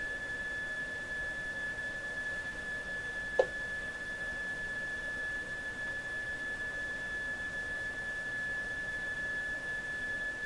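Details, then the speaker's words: Mohawk Serenader farm radio with the signal generator connected at low level; thin, steady high whistle unchanged over faint hiss, no signal heard; the set squeals from oscillation; oscillation squeal. "Another squealer! Another squealer! Oh my gosh, I've got a radio I worked on a couple of months ago, still waiting to come back in the shop here, that this was what it did. It squealed."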